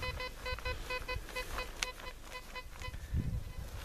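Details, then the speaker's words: Pirate Black Devil metal detector, dual frequency 14 and 7 kHz, discrimination at 0, over a 2-euro coin at about 51–52 cm: crisp, repeating mid-pitched beeps, about four a second, over light background noise. A clear target tone. "Βλέπετε ότι πάμε παραπάνω από 50 πόντους. Παραπάνω από 50 πόντους. Γύρω στα 51-52. Και ακούγεται κατάρα."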